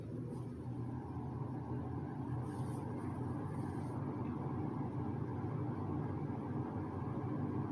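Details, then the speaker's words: 2006 Lasko 3733 box fan, restored and serviced, switched up to medium speed: steady, even rush of air over a soft low hum with no rattle or wobble, a relaxing sound; normal running. "um and the sound to it is actually kind of relaxing go ahead we'll knock it up to medium"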